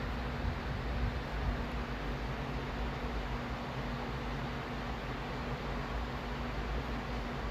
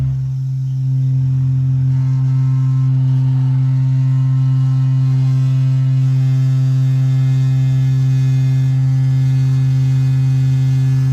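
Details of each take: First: Newly installed A.O. Smith gas water heater that had been making a loud foghorn-like humming (harmonic vibration), after the fix and relighting the pilot: main burner gives a steady, soft rushing roar with no droning tone, normal operation. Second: Newly installed A.O. Smith gas water heater: loud, steady foghorn-like burner hum stopping abruptly when the flame shuts off; harmonic vibration, harmless nuisance, to be fixed via the bracket under the burner.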